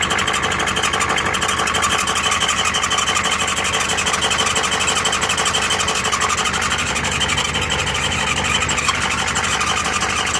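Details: Used Ford ZF5 S5-47 transmission: steady high squeal over the running drivetrain, caused by the rear countershaft bearing race spinning loose in the case; countershaft had .006" endplay.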